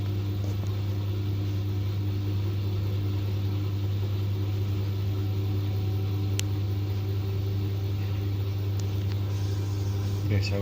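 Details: LG 10 kg direct-drive top-loader, about nine years old, after repairing broken part that caused loud motor-side spin noise: smooth steady low hum through the spin, no knocking or rattling; normal spin.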